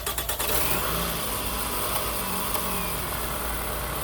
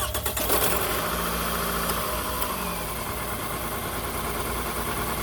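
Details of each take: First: 2006 Toyota Camry XV30 after replacing faulty ignition coil pack: starts and settles to a steady even idle with no stumble or shake, all cylinders firing cleanly, running smooth. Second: 2006 Toyota Camry four-cylinder, started and idling: catches and settles into an uneven, shaky idle with a stumbling beat, not firing on all four cylinders; misfire from a failed ignition coil pack.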